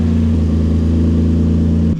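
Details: Nissan 350Z VQ35DE single-turbo build on its first drive in six months, live street tuning: steady, even engine note with no misfire or stumble, easing down slightly at the end. It holds closed loop, with minimum pulse width apparently the issue; running properly.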